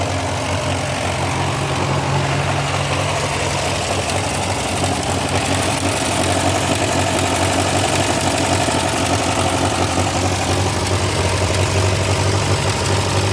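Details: Massey Ferguson TO35 tractor engine after rebuild: rough, loud idle with a busy tick and knock at engine speed; source of the ticking/knocking still unknown.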